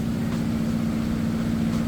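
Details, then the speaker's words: Whirlpool Cabrio HE washer at fastest spin, drain pump running, lid locked, recorded over room fans: steady even hum with constant low tone, no knocking or thumping, very little vibration; normal. "all right spinning at its fastest spin you can see very little vibration"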